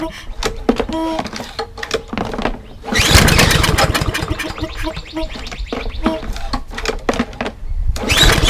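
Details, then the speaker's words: Toro Recycler mower with Briggs & Stratton EX engine, water in gas tank, cold first start after work: repeated cord pulls give brief coughs and sputters but never runs; suspected residual water, starter fluid next. "maybe some residual water in there i'm gonna go get some um starter fluid or a shot of two"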